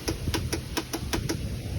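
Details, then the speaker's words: 2004 John Deere mower with Briggs & Stratton engine, new battery fitted, choke on: quick even clicks about five a second for roughly 1.5 seconds as the solenoid and starter engage. Normal starter engagement. "There you go. It cranked. Choke is on."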